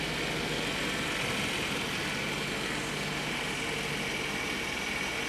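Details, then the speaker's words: 1994 Mercedes E500 V8, cold start at about 30°F after new spark plugs, distributor caps and rotors: steady, even idle with a faint hiss, no misses or knocks; everything works. "Sounds good. Everything works."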